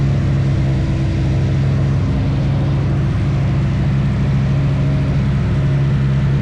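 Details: Nissan Sentra turbo petrol build, running after a no-spark fault was fixed and new V-band exhaust welded: deep, steady drone on an even note with no knocks, misses or rattles; runs cleanly.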